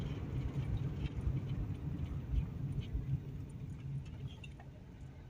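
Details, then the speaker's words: 2003 Toyota Corolla, 166,000 miles, braking on a test drive after new rear drum brake parts and a parking brake adjustment: only soft road rumble, with the earlier creaking or thumping from the rear while braking gone; normal braking. "I don't hear it anymore. I think we fixed it. We're going to break here on this stop sign here. Okay. Nice and quiet."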